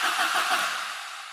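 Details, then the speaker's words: Opel Kadett GSI (Astra mk2) cranking after fitting a new battery: steady starter whirr spins the engine briskly but it won't fire; fuel in tank, no spark found, cause not yet identified. "Okay, picked up a new battery, so we're going to do another attempt to see if it will start, or at least will turn over."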